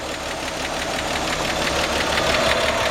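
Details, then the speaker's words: 1953 Chevrolet 210 sedan, straight-six, 6-volt system, hood open: steady, even idle with a soft regular patter about three beats a second, no knock or miss; quiet, smooth, healthy engine. "It's just a quiet, smooth running. These engines are just bulletproof."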